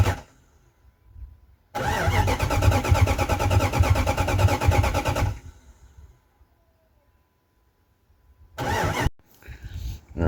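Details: 1998 Jeep Grand Cherokee 5.9 Limited V8 sitting about five years: starter spins the engine at an even pace for about three and a half seconds, but it never fires or catches; fuel is present at the Schrader valve.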